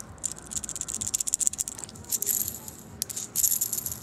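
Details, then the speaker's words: Worn secondary pinion bearing from a BMW E36 welded differential (168 mm) during full rebuild, spun by hand after pressing out: loose, gritty metallic rattle; bearing is dead, not supposed to spin like that, being replaced. "Tu vois le bruit qu'il fait? Mais il est mort, il est pas censé tourner comme ça."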